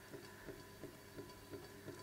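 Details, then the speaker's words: 1960s Pye Black Box stereo record player, deck regreased and oiled: soft even tick about three times a second with rotation, from a dent in the rubber idler wheel left in manual position for years; still bumps after massaging and cleaning. "Now that is because when I looked at the rubber idler wheel, someone had obviously left it in the manual position for many years, and it's got a nice little dent in the side of the rubber idler wheel now."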